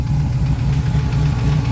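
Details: Jeep Wrangler TJ with a straight-piped 6.0L LS2 V8, about 8k miles on the build: a deep, lumpy idle with a light, quick tapping over it. The tapping's cause is not determined.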